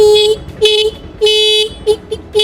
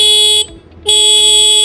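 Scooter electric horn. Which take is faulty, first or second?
first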